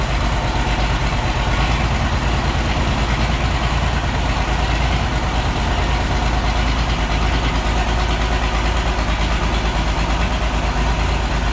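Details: Oliver 1650 diesel tractor, first start after sitting about three years with new battery; heavy lumpy idle about three beats a second with a lot of smoke, not running on all six cylinders, needs at least injector work.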